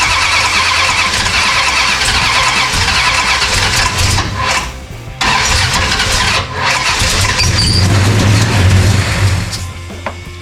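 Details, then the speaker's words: 1969 Dodge Charger General Lee, freshly installed engine, fuel line ripped and no fuel: uneven cranking with brief sputters and catches that never build into a run, then dies back; cranks but won't start, no fuel supply. "need more gas. Damn, I ripped the fuel line. Damn, there's no fuel. I need some more fuel."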